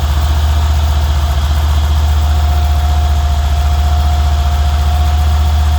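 Idle hum carries a steady light tick, roughly three to four per second, that keeps pace with the engine; cause not yet pinned down.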